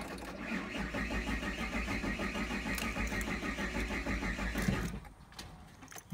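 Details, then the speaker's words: Car with suspected electrical issues, fuel in tank, cranked while charging from a NOCO GB40 jump starter: steady rapid cranking, about three beats a second, for about five seconds with no catch; cranks but won't start. "so it's not starting I'm gonna try once again cuz it probably has to sit in charge you know"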